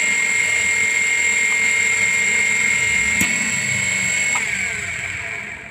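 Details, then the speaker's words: Electric water pump primed and run with a palm over the suction inlet, hand sucked tight: steady high-pitched smooth whine, no knocking or grinding; pump fine, so no-flow fault lies in the suction pipe. "kesimpulannya mesin ini tidak ada masalah sehingga kalau misalnya tidak bisa mengalir berarti masalah ada di pipa hisap"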